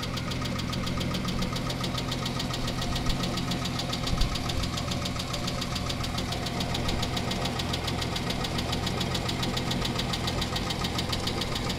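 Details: Chrysler 300M 3.5L at idle: even idle with a quick, fairly steady knock about three to four per second over the engine; source undetermined.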